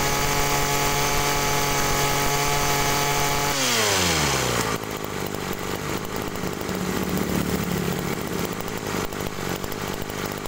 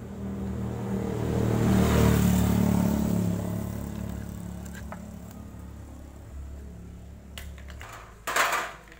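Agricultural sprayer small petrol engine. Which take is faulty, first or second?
second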